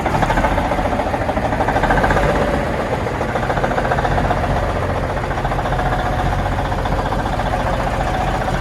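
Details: 1991 Autocar heavy-duty tow truck with Cummins diesel, cold start: uneven, lumpy chug about four beats a second, loping like a dead cylinder. Misfiring idle; owner suspects it needs injectors.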